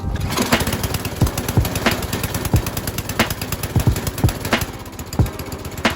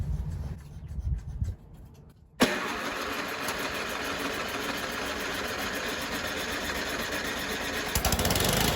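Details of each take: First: Tecumseh-engined MTD Yard Machines snow blower, about 25 years old, first run outdoors after fuel system work: small single-cylinder engine chugs steadily with a few uneven thumps, sounding healthy; normal running. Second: 25-year-old MTD Yard Machines snow blower on its first start with a little fresh gas, using the electric starter: it cranks a couple of seconds before catching and running steadily. The primer bulb line was broken, so it was never primed, hence the extended cranking.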